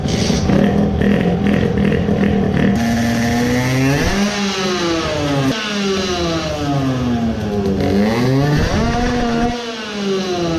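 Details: Tuned two-stroke moped engine chasing missing power, carburetor modified for more fuel amid heavy foaming and vibration; buzzy rise and fall with throttle, choppy and sputtering a lot in neutral, suffocating on pulls: a misfire, suspected richer fueling.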